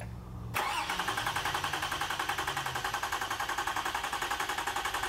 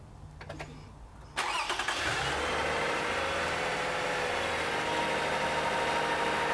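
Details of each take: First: Vehicle cranked with ignition disabled during an AC-coupled starter waveform test, so it should not start: starter cranks steadily at about three and a half even pulses a second and compression sounds roughly even. Used engine was fitted after an earlier bad valve. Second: Car with a used engine installed over a year ago, started for an alternator ripple test: brief starter cranking, then it catches cleanly and settles into a steady, even idle. Normal start.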